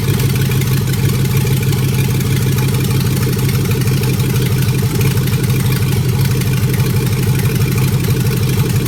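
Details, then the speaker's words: 1956 Ford F100 with swapped 5.3 LS V8, first start wired without fuse box using three wires: deep, even idle with steady low rumble, no knocks or misses, settling straight in; normal healthy idle. "so there you go and that's all you need to get it running"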